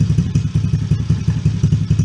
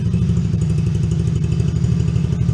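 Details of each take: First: Coolster 110cc Chinese ATV just fitted with a new carburetor, started with a little choke: single-cylinder putters at a brisk, steady beat, faster than normal idle; idle screw set too high, turned down. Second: Coolster 110cc Chinese youth ATV after new carburetor, air and fuel filters, lightly choked: started right up, steady deep even idle with no skips or surging, idle slightly high then turned down.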